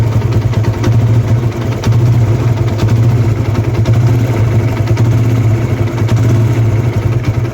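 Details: TVS Apache RTR 160: steady idle with a fast light rattle over the exhaust beat; worn timing chain tensioner letting the chain slap, before tensioner assembly replacement.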